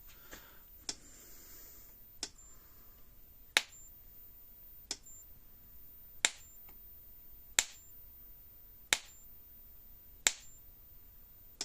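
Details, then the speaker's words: Premier 1 Hotshock 1000 fence charger, about 9,000 volts, sparking fence to ground with lights off: sharp crisp snaps evenly every 1.3 seconds; strong, normal spark discharge. "i want to show you the spark this thing throws i want to go from fence to ground or ground fence doesn't matter it's going to create a spark"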